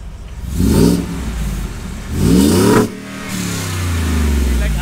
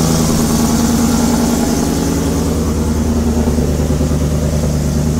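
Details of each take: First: 2020 Ford F-150 Shelby Super Snake 5.0 after long-tube header and V-band install fixing an exhaust leak: two clean throttle blips, revs climbing and falling smoothly, deep even exhaust note, no ticking or puffing, much quieter. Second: Ford F150 Shelby Super Snake V8 with new headers, idling and revving; sharp puffing tick rising with revs from exhaust leak at header flange, supplied gasket too small for larger port, fix by V-band.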